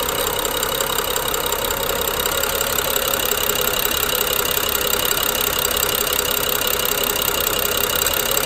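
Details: BMW N55 idling with fast, fairly even ticking and light grinding, suspected Valvetronic gear and eccentric shaft, matching a jerky idle; coils, plugs and VANOS solenoids recently replaced with no change.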